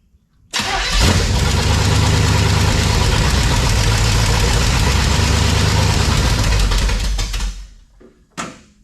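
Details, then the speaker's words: 1971 Chevelle wagon, around 47F after sitting 3-4 weeks, newly fitted alternator and water pump: cranks, catches, settles into steady even low rumble with no whine or grinding; no major noise, alternator not roaring. "Well, I don't hear any major noise, and the alternator wasn't roaring, so good enough."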